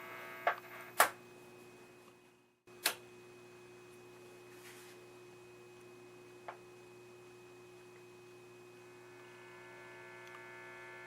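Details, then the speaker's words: Admiral 17T1 tube TV at power-up on a fused outlet, 6Y6 audio output tube lighting: steady low hum with crackles, clicks and pops from the speaker, raster appearing; cause not found. "Tubes are lighting up, especially that 6Y6 audio output tube. crackle from the speaker. Got some hum of the speaker and a bit of a raster coming in."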